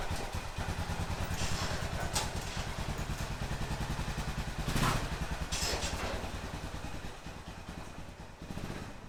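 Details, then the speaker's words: 2005 Honda TRX650 Rincon, 650cc single-cylinder four-stroke, test ride under load after a no-run condition: steady thump pulling evenly, no misses or knocks; runs normally, though the carburetor may need slight fine-tuning adjustment. "there we go it's running good I think the carburetor needs just a little bit of fine-tuning adjustment but other than that it runs"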